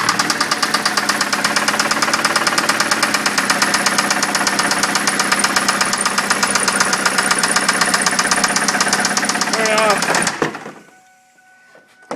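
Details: 2003 Ford Focus Zetec engine: sharp, rapid knocking rides over the idle right up to shutdown, a persistent internal rap; cause not yet clear.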